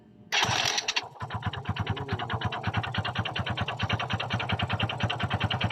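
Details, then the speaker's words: Kymco Visar 110 motorcycle right after reassembly: a sharp, regular knock still rides over the idle, several per second; connecting rod knock not cured, so the cylinder head comes off next for checking. "e bad news guys hindi nawala ang ingay o kalampag sa loob ng kanyang makina"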